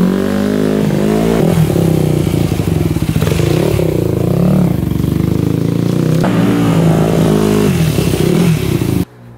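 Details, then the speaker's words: 2001 Yamaha WR250F single-cylinder after rebuild with freshly cut valves, bump-started and revving up and down with a crisp, slightly sharp bark; runs decently but owner suspects jetting slightly lean; later wouldn't restart. "right we were able to bump start it and it sounded pretty decent um I think the jetting might be a little bit off it almost sounds like it's a little bit lean to me"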